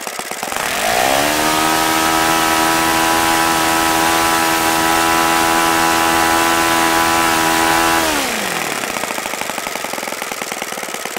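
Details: OS FS-95V four-stroke glow engine, first run after rebuild, 15% Omega fuel, 14x6 prop over 10,000 rpm, OS F plug: clean steady high buzz, then smooth drop to lower richer run; healthy, apart from an overly free throttle arm.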